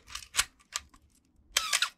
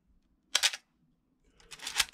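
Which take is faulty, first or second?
first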